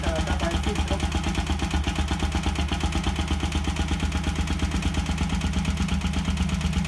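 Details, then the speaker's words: Bajaj Rouser NS 200 after a noise check, with spark plugs fitted and the valve cover refitted: even single-cylinder idle just under three thumps a second, with no tapping or rattle. The engine is healthy. "i ahí se me acabó la nafta pero la moto no hace ruido está muy bien normal"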